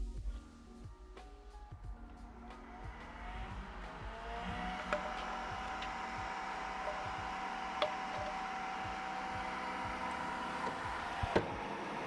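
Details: Creality K1 side cooling fan with a 3D-printed resonance-chamber muffler: steady airy hum with a soft tone and scattered background clicks; about 63–64 dB, airflow measured 3.8 m/s, fan running normally.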